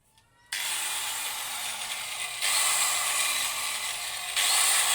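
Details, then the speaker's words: Angle grinder (Hitachi-equivalent parts) tested after repair of a growling-then-dying fault: clean steady high whine rising slightly under contact, no growl, rattle or brush sparking; runs smooth, repair successful. "saudara berhasil sempurna tidak ada saksikan bunga api dan halus suara mesinnya"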